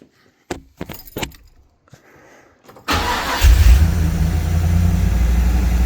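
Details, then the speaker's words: 1984 Chevy Camaro built 355 small-block with Quadrajet Stage 2 carburetor, cold start around 40°F after adjusting high (fast) idle a quarter turn: brief crank, catches and settles to steady fast idle a little over 1500 rpm; normal cold start. "Right now, I'm idling at a little over 1500."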